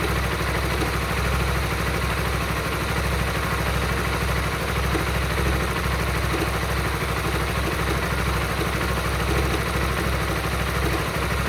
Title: Weird engine sound Honda Supra GTR 150 please send help